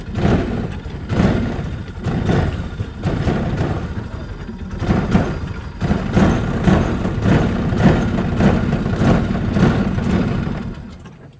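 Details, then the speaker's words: Polaris Ranger side-by-side, 500 engine, sat in shop a week and a half after drying, driven on an incline in low; engine surges and stumbles, revs rising and sagging, not pulling cleanly; bogging from water still in the intake pipe. "I'm no joke swore I had all the water out of there go these 500's are good Machines man you learned something new every day I did not expect to still have water in that pipe"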